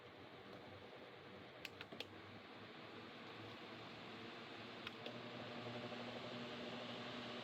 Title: 2023 Lasko Wind Storm pedestal fan is making a buzzing noise